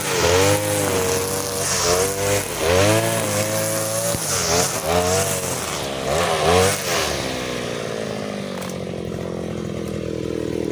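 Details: Side-mounted brush cutter running the leaner blade setting of the carburettor mixture screw but fitted with nylon line, cutting short grass: two-stroke revs in short bursts, pitch sagging at each cut before settling; it cuts but lacks power.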